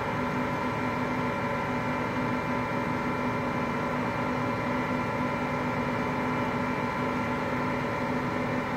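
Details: Hotpoint Aqualtis washing machine, bearings just started to go today: continuous coarse rumbling roar with a steady hum underneath while the drum turns, no rhythm changes; drum bearing rumble.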